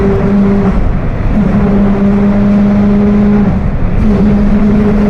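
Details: Mercedes-Benz OF 1721 BlueTec 5 diesel bus (Apache Vip IV): steady low howl over the diesel drone, holding with road speed and fading briefly off throttle, rear axle differential gears whining.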